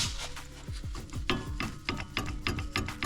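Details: Lada Vesta NG (late 2023 on), wheel off, front brake caliper rocked by hand: hollow clunks in uneven bursts about three a second; play in caliper guide pins suspected.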